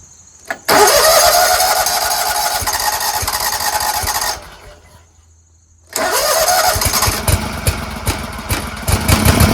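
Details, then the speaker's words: Scag Tiger Cub 48-inch commercial zero-turn mower after reconnecting a loose choke linkage: engine catches at once and runs steady, then restarts cleanly after a short gap and holds an even running note; considered fixed. "I don't know fellas I'd call that pretty fixed"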